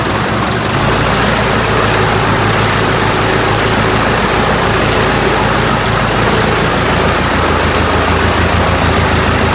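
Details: Ford 4040 industrial diesel tractor just started after injector rebuild, cold, with ether, warming up: uneven clatter at fast idle with ragged stumbling misses; rough running while air works out of the injection lines.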